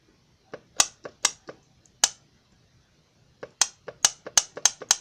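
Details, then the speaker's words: 2006 Jeep Grand Cherokee Laredo 3.7L 4WD, Mercedes 722.6 (W5A580) transmission; pressure solenoid removed from the car and bench-tested with battery power: sharp, crisp clicks in quick bursts as it opens and closes. Normal; it reads 5.1 ohms on a 4–8 scale. "my pressure solenoid okay so that one's clicking which means it's opening and closing and it's got good ohms at five point one and a four to eight scale"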